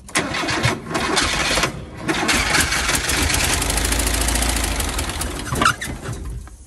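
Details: Little bus just revived after a vacuum line was reattached: engine cranks and catches, then runs rough with a ragged, uneven idle; low oil pressure light flashing, long-stored motor running rough.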